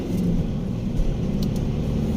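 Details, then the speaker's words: VW Touran 1.9 TDI BLS diesel driving around 2,500–3,000 rpm up to 140 km/h after faulty injectors and tired repair kits letting in extra air were fixed: steady low drone, no misfire or knocking, smooth pull; turbo working cleanly. "Та й взагалі машина їде так як має їхати"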